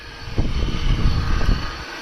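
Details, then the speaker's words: Polaris Trail Boss 330 quad, jump-started with a little starting fluid sprayed in the carb at wide-open throttle: a deep, ragged burst of firing for about a second, then it dies. "well hot dang she's going to be a runner believe it or not that was just a little bit of starting fluid in there"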